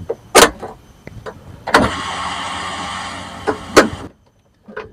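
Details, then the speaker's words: Suzuki APV / Mega Carry that won't start: at key-on a couple of clicks then an even two-second fuel pump whir with relay bypassed; pump works, so the relay is at fault. "teman-teman hidupkan berarti pompa pompa minyaknya hidup nah Berarti ada masalah di relaynya teman-teman ya"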